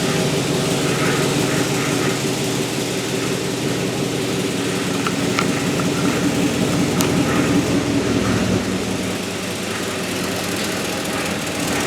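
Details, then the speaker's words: Turbocharged 1961 Chevy pickup with LQ4 swap, day 5 of first start after replacing a faulty throttle actuator controller: steady idle with a fast, faint puffing tick from an exhaust leak at the turbo V-band clamp. "Have an exhaust leak at the V-band. Reasons."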